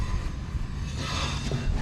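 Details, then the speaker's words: Integra sedan rear wheel jacked up and spun by hand, car in gear: dry scraping rub with faint squeal each pass; rear brake pads worn to about zero millimetres, polished to just short of the metal. "oh yeah there's like no brake pad left that'll do it it's like zero millimeters exactly left oh my gosh I've never seen one so polished it's like literally right before the metal"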